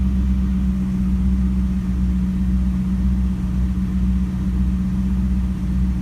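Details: LS1 Camaro after knock sensor replacement for P0327/P0332: a deep, steady V8 idle rumble with no knocking or hunting, settling down and running smoothly. Had it not idled down, a vacuum leak would be suspected.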